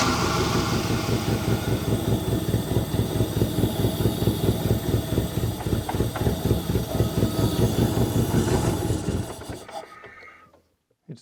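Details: Saab 900 Turbo Commander, Bosch K-Jetronic, sat 10+ years, fuel fed by hand-lifting the air-flow plate with intake elbow off; uneven lumpy chuffing about two beats a second that stumbles and fades to a stop, barely running.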